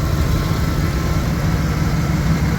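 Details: '98 Dodge Ram 1500 with 5.2 V8 (230 hp) running without a muffler: deep, loud, steady rumble at idle with an open, unmuffled throb, no knocks.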